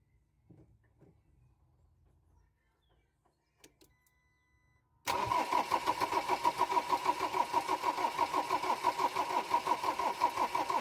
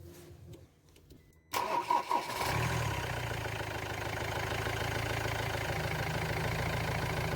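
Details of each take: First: Ford Transit Mk7 diesel after glow plug replacement: steady starter cranking about three beats a second, never fires; camshaft sensor plug not pushed in far enough. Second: Ford Transit Mk7 diesel after glow plug replacement and reseating a camshaft sensor plug that had prevented firing: brief quiet, short crank, catches quickly and settles into a steady, even idle; normal start and idle.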